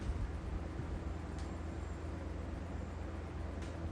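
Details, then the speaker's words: 1995 Lasko 3733 box fan on low speed, drawing about 91 W, just over an amp, power factor 0.69: steady low hum with a faint even tone, no ticking or rubbing; running smooth and normal. "We'll start with low. This is very typical how these things start."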